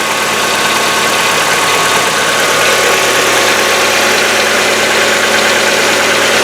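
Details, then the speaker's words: Hyundai Getz started stone cold after a day parked, still on old oil and before the Liqui Moly lifter additive: light tapping about 3 per second from the top end at idle, hydraulic lifters ticking for about a minute until it stops. "Сейчас заведу, послушаем, как стучат гидрокомпенсаторы, сколько по времени продолжается стук."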